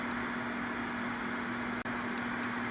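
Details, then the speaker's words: General Stonewall Jackson radio after repair: steady low hum and faint hiss, no thumping; cause was a failed power-supply capacitor on the amp board, not the audio-section caps. "but you can clearly hear there's no thumping that problem has been remedied not by those caps in the audio section unfortunately it was uh something in the power supply"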